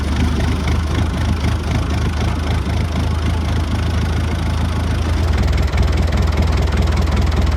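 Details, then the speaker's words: Lifan 7hp GX200-clone engine on a Frontier OS18 sawmill after fixing a blown head gasket (zero compression), with proper torque and valve lash set. Steady, even low thrum at settled idle, no misses or knocks. It has power and sounds okay. "it struggled too much, and seemed to have lots of power. Sounded okay too, so I think we got that figured out."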